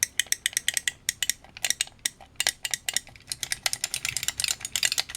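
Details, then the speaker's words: Vintage microswitch joystick after teardown and de-rattling: crisp, quick clicks in bursts as the stick is moved, with no loose buzz or rattle between them, so the switches sound healthy and better than before. "that sounds better than it did so I do need to check and test that with either my Atari ST or my spectrum"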